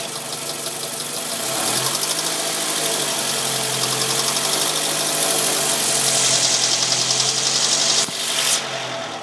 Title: Ticking noise :/